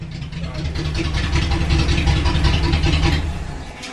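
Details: Datsun 280Z after fuel pump power wired directly, bypassing the suspected relay: deep even idle rumble with a smooth steady beat and no stumbles or ticks; engine now runs and idles healthy.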